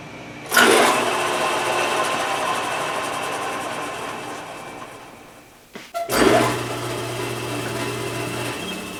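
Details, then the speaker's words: Logan 820 lathe after fitting a replacement spindle, bull gear and back gear shaft from a newer Logan, the old bull gear having had a broken tooth: spindle spins up with a smooth, even whir, coasts down quietly, restarts cleanly, no gear chatter; normal running. "I like it. That sounds a lot better. Chucks even fit tighter."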